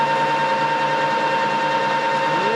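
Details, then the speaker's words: Rebuilt Harrison M300 13x40" metal lathe, run off a noisy nearby phase converter: steady thin whine over the motor hum, climbing as it speeds up. Normal running with a mild gear whine in certain gears. "bit of a line to it but not bad i mean like i said it's an old it's got a little bit of gear in certain gears"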